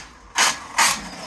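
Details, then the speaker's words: ARRMA Notorious 6S RC truck with metal gears making loud clicking under load: two sharp, harsh clacks about half a second apart as it takes load; suspected slipping gear teeth in driveline, not confirmed. "Today we're talking about the Notorious. It's making a crazy clicking sound when it's under load."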